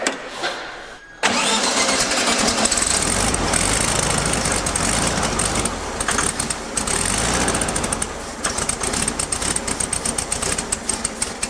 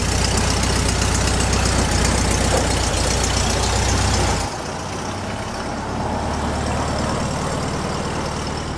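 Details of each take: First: Classic VW Beetle convertible with a freshly rebuilt engine, first start after install: cranks, catches, then settles into a lumpy, uneven run that stumbles and hunts, running worse than it should; consistent with an open vacuum line. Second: Classic VW Beetle with a freshly rebuilt engine, after the open vacuum line was capped: even, steady low idle pulse with no misses, hunting or hiss, quiet and smooth like a sewing machine.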